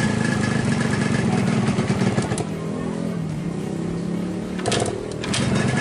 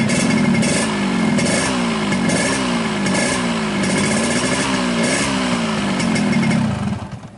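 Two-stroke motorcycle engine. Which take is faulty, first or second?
first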